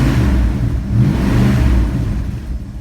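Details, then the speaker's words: Vintage Mopar car being started and revved in the garage, motor mounts soft: engine revs up and settles with a rough puffing low rasp on the exhaust note; exhaust leak. "you have an exhaust leak you can hear that motor mounts are soft they're on the list to get done real soon"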